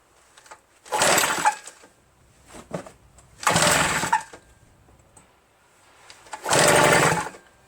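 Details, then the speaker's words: RedMax EBZ8050 backpack leaf blower after new piston rings installed for no compression; very hard to pull, owner suspects rings too tight and lacking cylinder lubrication. Three short pull-start rasps about three seconds apart, none catching: hard starting, cause unconfirmed. "I feel like the rings are so tight right that it's stopping the engine from moving there's like not enough lubrication in the cylinder that's what I'm feeling and it's really difficult to start you know"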